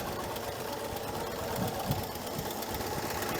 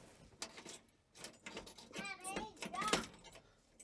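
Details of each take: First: 1968 GMC C1500 V8 restarted after 17 years, idling about an hour, burning oil with white smoke; fast steady lifter clatter from the middle cylinders, which had fouled center spark plugs, plus raspy puffing exhaust leaks. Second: 1968 GMC C1500 truck, sitting 17 years: starter spins the six-cylinder over with an even, steady beat and no lopsided gallop, suggesting even compression and no dead cylinder.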